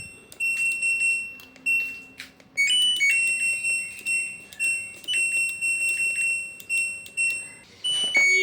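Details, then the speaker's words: LG front-loading washer module after repair of a short, power button pressed: clean run of bright electronic chimes and beeps, each decaying evenly; board powers up normally. "Nah, alhamdulillah ya teman-teman untuk kali ini [lonceng] modul mesin ini sudah hidup normal."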